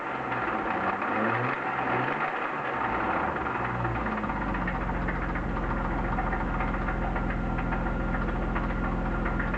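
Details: BMW E36 323i, M52B25 petrol six, 1995, 140,000 km, idling: rough uneven knock loudest at the front of the engine over the VANOS; lifters and upper chain tensioner already replaced, lower tensioner OK, no metal in oil, no oil-pressure light; cause unclear, crank bearing or chain suspected.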